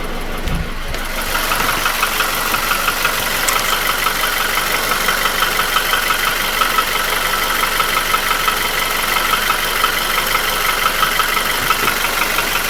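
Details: Nissan QG16DE engine without hydraulic lifters, idling: sharp metallic regular knock about three per second, felt between cylinders 1 and 2 at front of block; began 1.5k km ago, after piston rings, oil rings, timing chain and guide replaced 2k km ago; oil change didn't help; gone when revved. Cause unknown.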